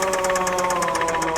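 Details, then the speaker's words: $3,000 Dubai auction car, jump-started, engine cranking before repair. Hard, rhythmic knocking about seven times a second over a steady whirr. The crankshaft, rods and main bearings are destroyed from missing oil. "The cranking noise means that the engine is completely destroyed. The crankshaft and the main bearings, and looks like it's smoking."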